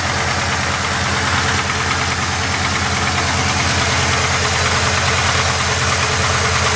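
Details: Supercharged VS engine at idle: steady idle with sharp regular knock about three per second from inside the engine; owner asks what it could be, cause unknown; engine knocking at idle.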